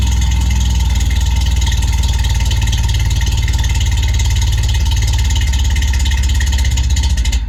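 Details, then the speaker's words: Toyota AE86 (Sr5) with a new FlowMaster exhaust, cold start after sitting since noon: loud, deep cold idle with a fast, loose rattle over the exhaust drone; owner hasn't found the rattle source, believes nothing's wrong. "yeah there's something rattling it sounds bad but I promise you there's nothing wrong with it it's just something rattling and I got to figure out what it is"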